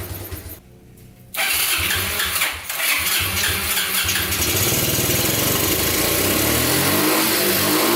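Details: Abandoned Yamaha Breeze ATV on a cold day, started with gas poured into the carburetor and the air filter off: it cranks, catches and revs, then hunts unevenly and will not hold idle. Rough idle; owner suspects spark plug, missing air filter, choke or air leak.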